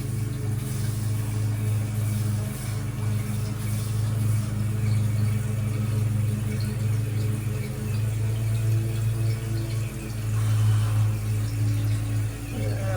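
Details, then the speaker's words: Shallow water pump after six months idle, running while a toilet fills: steady motor hum with irregular surges and wavering load as trapped air works out of the supply lines. "tell there's still air in the lines put a pump turn back"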